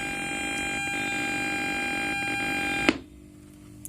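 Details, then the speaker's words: Bluetooth audio kit speaker with the music stopped: a steady hiss with a high whining buzz, cut off abruptly by a click when the connection is cut. It is a ground loop from a shared power supply, fixed by ground loop isolation. "इस वाली प्रॉब्लम को बोलते हैं ground loop problem, और इसकी जो सॉल्यूशन को बोलते हैं ग्राउंड लूप आइसोलेशन।"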